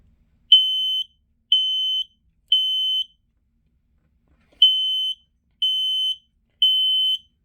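Loud high-pitched beeps in groups of three, half a second each, a gap, then three more: the standard temporal-three test pattern.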